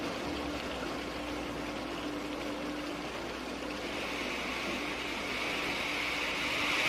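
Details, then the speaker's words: Water flowing through a venturi throat at about 20 inHg vacuum: steady rushing hiss with a faint hum that brightens into a sharper fizz as absolute pressure drops below vapor pressure; cavitation, steam bubbles collapsing and stressing the wall. "this is cavitation when the absolute pressure goes below the vapor pressure of about 1 inch of mercury boiling occurs the water changes to steam and the subsequent collapse of the bubbles which you can hear creates enormous stresses in the wall"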